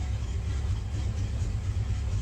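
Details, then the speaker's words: 1977 International Super Scout II V8, 4-speed, 4x4, run after sitting a week with a choke that won't close properly; low, steady, even V8 burble at idle with no ticking or knocking; normal idle. "so you could hear the motor doesn't knock, it's not ticking, you know."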